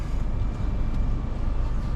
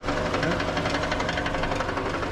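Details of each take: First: 2018 Toyota Camry, 2AR-FE, automatic, after replacing a cracked flexplate that caused a knocking noise between engine and transmission: smooth, steady low rumble at idle with no knock or tapping, even with the AC on. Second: 2018 Toyota Camry 2AR-FE with automatic transmission at idle: sharp, rapid clacking knock keeping pace with the engine, coming from between engine and transmission and stopping under load. The flexplate is cracked completely around its bolts.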